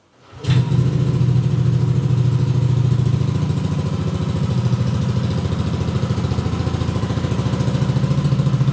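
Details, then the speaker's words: Yamaha Aerox 155 Connected with Proliner Neo SR Silent aftermarket exhaust after about 4 months of use: steady, even idle with a deep, round, bassy note and no misses or knocks; normal idle, clearly unlike the stock exhaust. "Oke, ini adalah kondisi idle. Ini adalah suara bass yang dalam dan bulat. Ini jelas tidak bisa disebut knalpot standar; Ini sangat berbeda."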